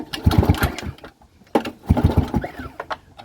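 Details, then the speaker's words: Abandoned lawnmower, engine hot, two pull-cord cranks without firing: even, firm chuffs as the gauge reads about 80–90, then 100–110 psi on a somewhat unreliable gauge. Plenty of compression, normal. "it's hot it's got compression what are we looking at 90 80. [Music] that's plenty of compression"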